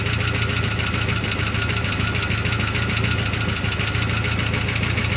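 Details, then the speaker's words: 1975 Chrysler Cordoba running after long storage, alternator not yet charging. Steady idle with an uneven puffing tick over a low rumble; the owner suspects an exhaust leak and possibly a slight miss. Rough idle. "Have an exhaust leak somewhere. Motor's really not taking too bad. Might be missing a little."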